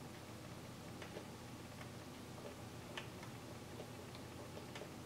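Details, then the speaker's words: Howard Miller 61318 clock with a Kieninger movement, bought with a pendulum connecting piece missing: faint, unevenly spaced ticks, one beat lagging the other, and sticking on the left swing. It is an alignment issue, and raising that side lets it run on its own. Clock out of beat. "it sounds like it should on the right hand side but on the left hand side it sticks a little bit see that see that fight I got to fight to bring it over here so I thought maybe it's dragging to the side"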